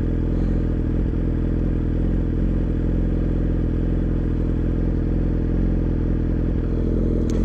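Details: 2017 Yamaha R6 with smog block-off plates, aftermarket O2 sensor and Dynojet AutoTune (code P0030 for deleted stock sensor): steady, even idle after AutoTune intervened and adjusted maps; running normally.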